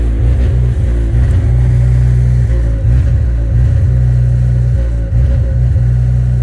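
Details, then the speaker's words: GE natural-gas standby generator installed 2011, during exercise cycle on a new gas line and meter: deep drone that sags and recovers every couple of seconds, rough, as if missing a cylinder. Intermittent surging since installation; owner doubts gas supply. "well as you can tell it's not running right despite the fact that the guys that did the service said that they couldn't manage to set the exercise today uh it did its exercise it started off just fine and then it started surging and it sounds rough it sounds like it's missing a cylinder or something"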